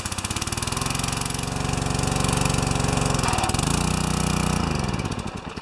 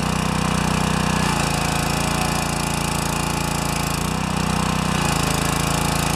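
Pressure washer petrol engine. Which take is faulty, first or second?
first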